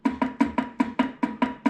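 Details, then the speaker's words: Ford Excursion 10.5 rear differential, 350,000 miles, cover off and axles pulled: sharp metallic clacks about five a second as gears are rocked through about 0.035 in backlash, the clunk heard on lift-off; mostly worn bearings. "That's what I heard every time I let off on the gas. So it's like 35 thousandths worth of play."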